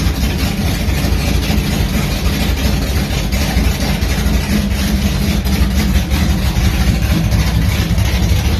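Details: 1980 Trans Am V8 with new Tick Performance nitrous cam and ported intake, run briefly without coolant: loud, lumpy idle with a choppy uneven rumble, steady with no knocks or ticks; runs healthy.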